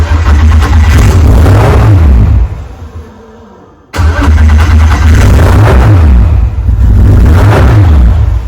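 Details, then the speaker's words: VW MK4 R32 twin-turbo on new ECU and wiring, first start: revs hunt and surge, nearly die, then flare again. Running very badly; owner suspects an air leak or too much fuel to the injectors. "obviously it's running really really bad sounds like there's um some sort of air leak or I personally think there might be too much fuel going to the injectors"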